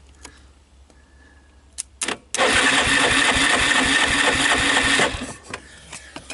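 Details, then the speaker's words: Yamaha Wolverine 350 4x4 ATV, single-cylinder, long stored in a shed; starter cranks sluggishly and evenly at about four beats a second without catching, owner suspects low compression; slow cranking. "this is just the starter doesn't sound great does it"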